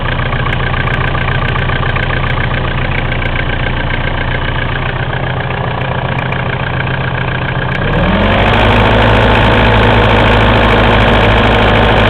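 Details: Mitsubishi 4M40 diesel engine: regular hard knock at idle, about three or four a second, quickening as revs rise; cause unknown.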